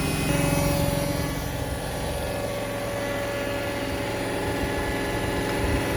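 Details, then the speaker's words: Hotpoint WMXTF942P washing machine at high-speed spin after its dampers were greased; steady smooth whir with no knocking or banging, much less vibration. Normal spin. "And this is what it's like now. A lot smoother, less vibration."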